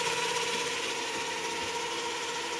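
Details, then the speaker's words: JET BD-11 lathe CNC conversion, 1.5 kW servo, HTD8M 40 mm toothed spindle belt on temporary 3D-printed plastic pulleys, at about 1000 rpm: steady droning mid-pitched hum over spindle whir; belt starting to hum, tension changes don't help. "Сейчас увеличиваю до 1.000. [музыка] Вот уже начинает гудеть ремень."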